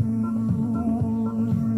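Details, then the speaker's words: Sony CFS-715S cassette player, deck A, with the old playback head refitted for comparison: muffled, flat music with the top end gone, lots of hiss and no crisp treble, heard through one speaker; worn tape head, later replaced. "Loa đây. Nghe rất là chán luôn. Tiếng xì rất là nhiều, không có tiếng chép."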